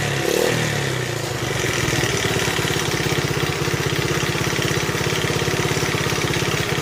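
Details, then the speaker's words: 1971 Honda CT70 (Trail 70), nearly 50 years old, warming up: steady small-single idle with faint light ticking over the beat; valves need adjusting. "Starting to hear the valves just a little bit, needing adjusting."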